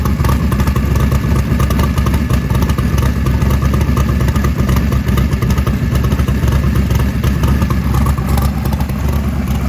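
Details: 1968 Camaro SS carbureted V8 warm at about 170-180°F. After the vacuum leak from the blow-off valves was fixed and the idle mixture screws were reset, it gives a loud, deep, choppy but sustained idle with no misses. Normal idle.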